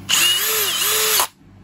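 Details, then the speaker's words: Bosch GSB 18V-90 C cordless drill, torque position 5 with the Control Precision Clutch electronic clutch on: high whir then a clean dry cut-off at torque with no ratcheting, normal electronic clutch release. "the machine will not rattle, it will simply stop us, you see, with which in position 1 you will see that the tightening torque is only when the machine is forced out dry and we do not hear that ratchet"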